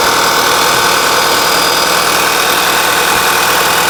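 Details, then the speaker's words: 2011 VW Tiguan with prior P0300 misfires, after a valve was replaced: steady smooth idle with no stumble or knock, good idle quality; later road test stayed in closed loop. "But as you can see, it's running much smoother now. Idle quality is good."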